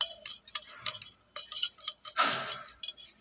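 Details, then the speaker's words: Electric fan with worn bearing: dry, irregular clicking and rattling over a faint motor whir. The bearing is also stiff and jammed. The plan is to clean it with diesel and regrease it, or replace it. "यह देखिए दोस्तों कड़कड़ की पूरी आवाज आ रही है देखो जाम भी है"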